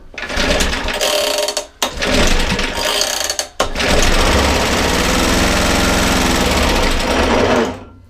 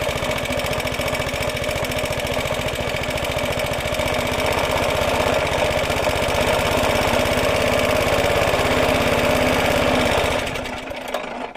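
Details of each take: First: 1950s-60s Suffolk Super Punch 17-inch cylinder mower, SIF 75cc cast-iron single, after points cleaning: catches and rattles loudly for a few seconds on starting fluid, then dies; carburettor suspected to need cleaning. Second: Roughly 70-year-old Suffolk Super Punch 17-inch cylinder mower, SIF 75cc cast-iron engine, with oil and petrol added after carb and points clean, microphone fitted; quick even firm beat, then dies away at shutoff; healthy normal running.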